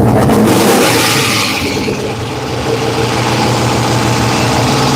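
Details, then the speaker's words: 5.7L 3rd-gen Hemi (Dodge) with Comp Cams, needing throttle to stay running and suspected vacuum leak: loud rough uneven stumbling beat; owner suspects spat push rod or thrown rod, not confirmed; misfire. "We're misfiring. We are 100%."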